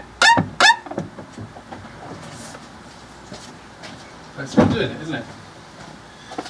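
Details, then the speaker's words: Fiat 500 1.2 squeaky clutch pedal: short, high squealing chirps each time the pedal is pumped, mic at the clutch slave cylinder atop the gearbox; squeak persists after greasing the plunger, and the owner suspects the pivot point. "so although I have greased it it's still doing it now does that mean that it's rather than it being there it's the actual Pivot Point could it be the pivot point"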